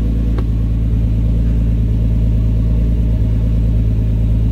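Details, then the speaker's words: R33 Skyline GTST that idled 300 rpm low with AFR over 16, after cleaning carbon from the idle air control valve: steady, even low rumble at idle with no hunting or stumbling; normal idle, fixed. "yeah man she uh she's she's idling yes come back down come back down everything good"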